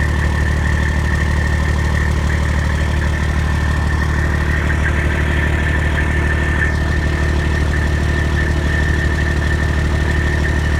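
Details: Detroit Diesel 14-liter in a Freightliner, overhauled in frame with the head overhauled twice. A metallic tick about three per second at idle, heard from the exhaust pipe and on the manifold with a stethoscope. The shop calls it normal; the owner disagrees.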